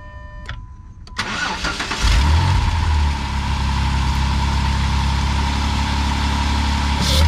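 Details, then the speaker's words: 2007 Jeep Wrangler JK 3.8L that turned over but wouldn't fire, just after throttle body replacement (bad sensor code): brief crank, catches at once, settles into a steady smooth idle. Starts and runs fine. "Sounds like it's running good."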